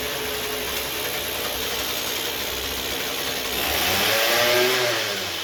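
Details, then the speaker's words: 2007 Ryobi RY60520 25.4cc two-stroke rototiller, dump rescue, run at full throttle after choked start: steady high-speed buzz swelling briefly as throttle opens, no misfire; normal running. "And here we go. Run. Yeah, it's got a nice idle."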